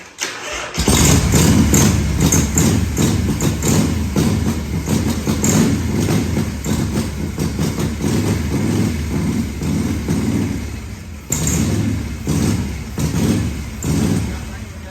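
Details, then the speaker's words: 1978 Harley-Davidson Shovelhead FXS Lowrider, long stored, started with starter fluid spray: cranks and catches, runs ragged with sagging revs and a stumble, then stalls; the check ball in the original Keihin carburetor's accelerator pump was sticking, so fuel wouldn't flow past it. "That little housing has a check ball in it. For some reason, it was sticking. I couldn't get it to go flow past it."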